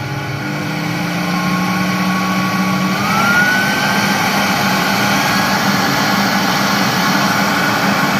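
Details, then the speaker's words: Carpet washing machine vacuum motor after cleaning its clogged filter and internal dirt; it had been roaring loudly, now whirs up to a smooth, steady hum with an airy rush, running like new. "istiyorum arkadaşlar videonun başında makine adeta eşek gibi böğürüyor ama şu anda gerçekten güzel çalışıyor Eskisi gibi oldu"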